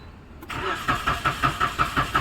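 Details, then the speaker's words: Maruti Suzuki Celerio (petrol/CNG), after faulty relay bypassed with wire: starter churns steadily around five beats a second and never catches because there's no petrol; switched to CNG it then starts. "देखेंगे एक बार cell मारेंगे petrol नहीं है तो CNG प मारेंगे"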